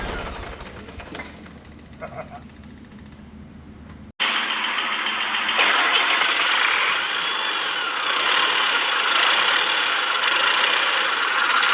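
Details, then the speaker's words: Detroit 40 series (rebranded Navistar DT466, possibly DT530) generator turbo diesel, sat outside 5+ years: quiet cranking, then catches on ether and runs loud, steady, no knocks; pump return lines pouring fuel. "Alright, so as you can see, it does run on ether. The motor itself sounds really good, but these two lines that come from the return on the pump were just pouring fuel out."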